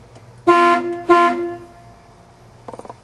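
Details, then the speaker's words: 1972 Ford F-100 original Ford horn: two short, loud, steady honks with a clear bright tone, no rasp or warble; the horn works normally. "so I'll show you what the real Ford horn original sounds like I like the Ford horn on this one really quick"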